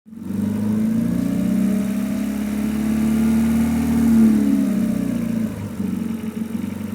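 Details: Renault Megane 2 RS 2.0T 225 hp, new coils, plugs and injectors: droning, uneven hum pulling through low revs, clearest between 1250 and 1750 rpm, fainter above, absent on deceleration; source unclear.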